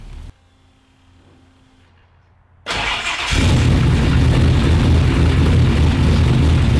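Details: Newly built and installed engine with a new tune loaded, started from outside the car without touching the gas pedal: a brief crank, then it catches quickly and settles into a steady, even idle, starting far better than before; normal.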